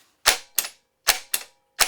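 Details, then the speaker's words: Starter on a bench test with only the S terminal and ground connected and no main feed: sharp, crisp clicks in pairs, about three pairs in two seconds, with no motor spin, the solenoid engaging normally. "So right now it's just going into my solenoid and finding ground and making my solenoid work. That's all. A motor's not going to work."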